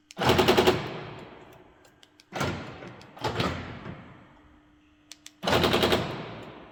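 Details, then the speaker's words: Mercedes B-Class door lock: the cover pushes the lock rod against the door so it binds, and the actuator retries very quickly. About four rapid clatter bursts, each a string of hammering clicks and then a pause. "and it can't move that easily like like it used to move so the door actuator tries to close the door several time very quick and you have this sound"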